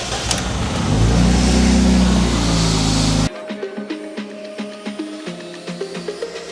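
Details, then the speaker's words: BMW E46 coupe M54B22 inline-6 idling, misfire diagnosis, one ignition coil connector unplugged: idle turns lumpy with uneven thumps as the cylinder drops out, showing the coil works; all six coils tested good. "so I just checked all six coils they all work because if the car is running and then I take off one coil and it starts to misfire heavily then the coil works"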